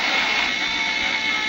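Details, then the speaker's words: Samsung CL-2150 21-inch flat-screen CRT TV, after about 5–10 minutes on: the picture fills with snow and the speaker gives a loud, harsh static hiss as the tuner drifts off-station from loss of tuning voltage. "na perfeitamente por 10 minutos de repente aparece interferência na tela como fosse uma chuva e o fica rouco e bem alto"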